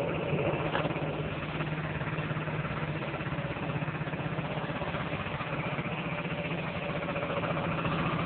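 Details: Honda Dio-2 50cc two-stroke scooter, stock piston, rings and bore, with HHO cell module fitted: light, steady buzzing idle with even beat, nothing knocking or rattling; healthy normal idle.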